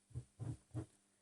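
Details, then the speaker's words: Sony STR-4800 receiver tuner, with a modulated signal fed in: rough, low grunting bursts over a faint hum when the tuning is touched, from dirt or dust on the tuning capacitor. "now somewhere on this tuning capacity there's a bit of dirt or a bit of dust"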